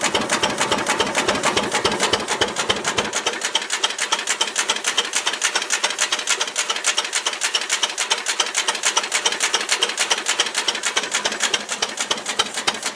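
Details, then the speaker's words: Ruston Hornsby model PR, about 1926, horizontal single-cylinder petrol-paraffin engine, on petrol with the too-rich mixture leaned, apparently first start in 5 or 6 years: slow, crisp, regular ticking near 105 a minute, no misses; normal idle. "That's better. Yeah. Open a bit. Good, considering it has been running for 5 or 6 years."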